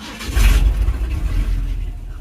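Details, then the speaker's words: 1976 Ford F100 V8 after carb tune and timing set, no muffler: starts quickly and settles into loud open rumble; slight grumble on cranking suggests timing maybe a degree advanced; runs and shuts down fine. "that uh timing might be slightly Advanced you could hear that little Grumble when it tries the start but not bad"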